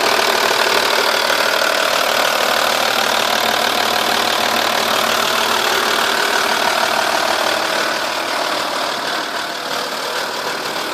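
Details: 2.5 V6 TDI diesel idling, cams previously replaced and in as-new condition: light, steady tick about three and a half per second over a hissy idle, loudest from the car's sides and rear passenger side of engine; exhaust gasket leak suspected but nothing visible.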